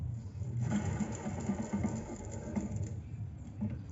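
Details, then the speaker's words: Fiat Ducato van, engine running: a rough, uneven rattling whir like a sewing machine from a worn alternator rear bearing. Removing the alternator belt and restarting confirms whether the noise stops. "rolamento aqui de trás do alterna como é que eu faço para identificar se o barulho é mesmo realmente no alternador ou se é outra parte lá do motor"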